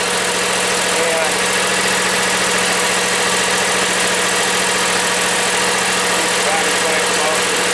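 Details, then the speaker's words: John Deere X320 lawn tractor, Kawasaki engine, about 10+ years old, after carburetor replacement for ethanol-caused no-idle, air cleaner installed, half throttle with slight choke then throttle in; steady even idle, no hunting or misses. "let's see we give it half throttle a little bit of Choke push in the throttle now you can see we got a nice idle"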